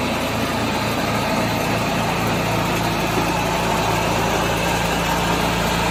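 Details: 1986 John Deere 216 lawn tractor single engine after carburetor cleaning and PTO adjustment, driving up and down the driveway; putters along at a steady, even beat with no misses or knocks; runs normally.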